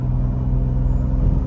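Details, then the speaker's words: BMW B58 turbo after electric wastegate actuator relearn cured limp mode (codes 123432, 123437) and boost leaks fixed: brief deep even rumble, no flutter, hiss or stumble. Normal running. "and yeah guys we're back woo that sounds awesome"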